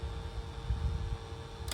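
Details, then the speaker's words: 2013 Mitsubishi Attrage head unit with a failed LCD and a jammed disc that won't read or eject: its small cooling fan whirs with a steady mid-pitched hum over a low rumble, louder than normal. It needs cleaning. "ในส่วนตัวพัดลมระบายความร้อนพจุดนี้นะครับก็จะมีเสียงดัง"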